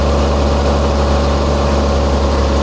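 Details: Toyota Camry with an intermittent no-start and backfiring, fixed with a new sensor that gives a much stronger signal: a low, steady hum with an even beat and no stumble or misfire. The engine idles smoothly.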